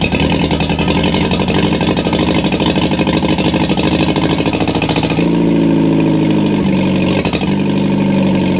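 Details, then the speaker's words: 1950 MG freshly rebuilt engine on first start, cold, tappets set slightly over standard, exhaust manifold only with no exhaust, choke then off: rapid even tappet ticking over raw loud exhaust bark, revs rise and fall cleanly; runs normally, tappets just noisy. "now it's going to be a little bit noisy uh one the tappets are adjusted slightly over i think about five or six hour over standard because one that's cold and secondly i don't want to bust anything and there's no exhaust"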